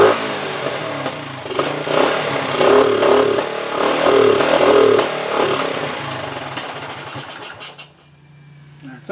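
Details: 1974 Honda TL125 after carburetor cleaning, before points, timing and ignition work: single-cylinder idle surges and sags with pops from exhaust and carburetor, fading toward stalling; unsteady idle, cause unconfirmed.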